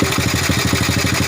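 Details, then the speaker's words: Old Honda Supra motorbike idling with a rapid, regular light clatter on each firing pulse from the cam chain; valve gap checked fine but compression still leaks; mechanic suggests retightening the cam chain tensioner push spring. "this sound is a bit loud, this is coming from the chain, my friends from Rantau, is the chain"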